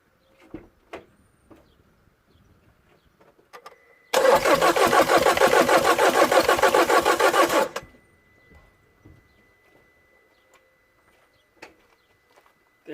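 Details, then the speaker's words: Citroën DS3 1.6 VVT (5FS) with a crank-no-start after head replacement. Steady cranking with a puffing chuff about three times a second, recorded near the intake/air filter where a pipe is missing. Low compression suggested, not confirmed. "definitely like a glove noise a global glob which it could be here the hair filter doesn't have the pipe here this pipe here is missing so it could be there"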